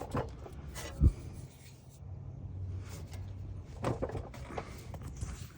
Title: Front End Clunking Noise